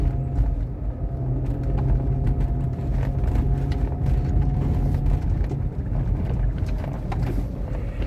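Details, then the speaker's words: Renault Megane II Grand Tour, shocks replaced about two years earlier, driving: road rumble with sharp metallic knocks over bumps from play in the worn right front shock absorber rod bushing; the steering rack was tested and is not the noise source. "é bem comum aí soltar um gastar bucha da haste do amortecedor do lado direito como a gente consegue escutar o barulho que é bem metálico e"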